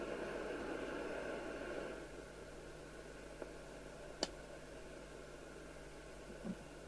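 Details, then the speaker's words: Midland 4001 CB27/81 UK FM CB radio: open squelch gives a quiet, thin, weedy hiss lacking body; three faulty receiver capacitors were found and replaced to cure it. "You know, the FM hiss doesn't sound right. It sounds thin and weedy."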